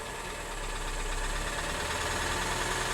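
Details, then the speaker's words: 2012 VW Tiguan GDI turbo that stalled with suspected low oil pressure: steady fast knocking, about three to four per second, over rough idle; massive rod knock, engine judged finished. "Is this death of a Volkswagen? I think so. This is ridiculous. That's a massive rod knock there."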